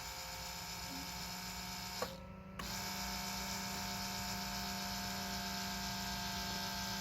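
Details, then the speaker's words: 2004 Lexus GX470 ABS brake booster pump, newly replaced, first run during bleeding, filmed at the reservoir: a steady, high electric pump whine with a brief dip, then an even hum as the fluid level drops; building pressure normally. "I hear it all right that is the solenoid pumping it and you can see yep the line going down here"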